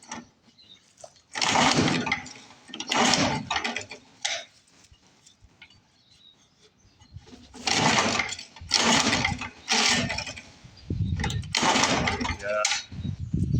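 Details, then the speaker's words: Lawn-Boy Mag 21 mower left sitting about 15 years; coil, flywheel and spark plug known good, recoil failing; several rope pulls whir for about a second each but it never catches; cranks but won't start. "I think this one's going to have to go to the Lawn Boy Parts Boneyard because she should have lit by now. I would have thought."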